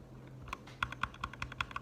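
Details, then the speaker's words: Gateron Red linear switch after lubing with Krytox 205 G0: a quick run of crisp, even keystroke clacks with no scratch or ping, feeling and sounding better than unlubed. "It feels much better lubed. And it feels better, sounds better."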